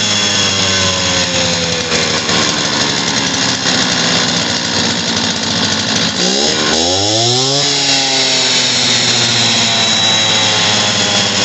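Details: Stihl TS400 two-stroke concrete saw after carburetor kit replacement and new spark plug, bad old plug having caused it to die: steady high-rev buzz, brief dip, clean recovery and rev sweep; running properly.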